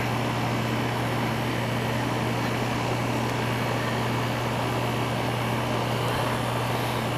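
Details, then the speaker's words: Air conditioner with a no-cooling complaint, switched on after the failed capacitor was replaced. A steady low hum with even fan rush and no clicking or stalling as the compressor comes on. Normal compressor running. "Ooh, I love the sound of that. That sounds like a sound of a compressor coming on."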